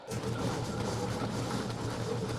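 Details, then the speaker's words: New 3/4-inch drain cleaning machine running cable out through vacant house sewer line: steady, even motor hum with low rumble, no bogging; keeps spinning after foot pedal released, so not binding. "you can really tell that the machine's not binding with anything when you let go of your foot pedal and it continues to spin long as that's happening we've got happy"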